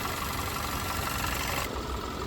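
Steady, even idle with no miss or knock and only a small change in tone partway through; the engine is running normally.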